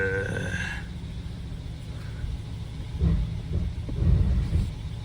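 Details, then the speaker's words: Replacement used Gen 3 Hemi 5.7 V8 on first start: deep idle that lumps and stumbles with irregular heavy thumps, a weak cylinder on cranking, popping through the intake, ticking and shaking; misfire not fixed. "You hear the weak cylinder when it's cranking, right? And the popping through the intake, and the ticking, and it's shaking."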